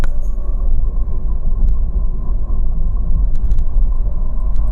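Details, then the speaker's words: CVT car, underbody drone: a deep, steady hum under the road rumble that follows engine RPM, not road speed; traced to the CVT transmission/differential, not a wheel bearing. "Karena kalau ini keretanya ikut RPM ya. Ikut RPM [Musik] karena RPM naikkan tenaga dari mesin dikeluarkan Pak."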